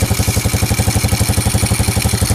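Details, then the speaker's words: Honda Revo Absolute after engine rebuild with worn, sand-grinding bearings replaced: even, steady thumping idle with no knocks or rattles, smooth even when revved; normal idle after repair. "Oke Guys meskipun mesinnya kita geber-geber dengan e RPM tinggi namun mesinnya tetap halus e suaranya berarti kalau mesin ini telah Oke telah mantap"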